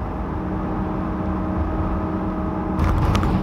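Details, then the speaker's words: 2011 GMC van with 134,000 miles, on throttle: a steady low drone with a faint hum over road rumble. The noise only comes on when on the gas and is worst at 50–60 mph; rear end howl is suspected. "it's the most horrendous noise i've ever heard um i think you guys can hear it now warp speed uh but it's kind of funny because only the noise only comes on when i'm on the gas"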